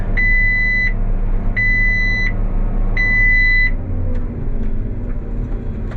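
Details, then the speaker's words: Three long, high beeps over the diesel drone as the forage chopper's stone detector trips on a stone estimated at about softball size in dry hay; the stone must be found before it goes back through the chopper. "Oh, did you hear that noise? That was a stone."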